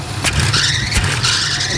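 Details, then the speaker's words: Small block Chevy 350 V8 in a square body truck, distributor loosened and turned to retard timing: idle drops low and rough, throttle blips rise lazily with lag; turning it back restores crisp response. "hear the throttle response is not that great. Hear how it's got that lag?"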